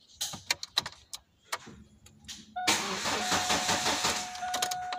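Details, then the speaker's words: 1999 Chevy Cavalier crank-no-start with no DTCs, during a compression test viewed on a scope: clicks, then the starter whines and the engine cranks with a weak, uneven chuff and never catches; compression is not looking good. "so next step is compression is not looking too good"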